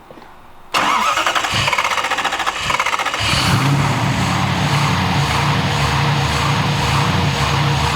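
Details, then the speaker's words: 1993 Lexus SC400 twin-turbo V8 with Bullseye Power turbos, cold start: cranks, catches, then idle hunts unevenly as the stepper motor (still being tuned) searches for an even idle until warm. "That's the stepper motor. We're still tuning the stepper motor. The stepper motor, just until it warms up and finds itself, it's just searching to give me even idle."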